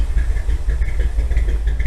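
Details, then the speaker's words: 1957 Chevy V8 with aggressive cam, revived after sitting for years, after carburettor idle adjustment without vacuum gauge: deep, even, smooth low idle with no stumbles; barely charging at this low idle. "Yeah, that's actually idling better."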